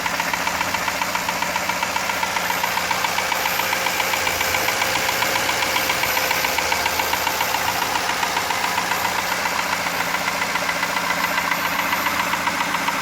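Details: 1999 Jaguar XJ8 at about 122k miles, idling with a sharp regular deep knock two or three per second on the engine beat; owner suspects a spun rod bearing from low oil level caused by a valve cover leak and oil consumption.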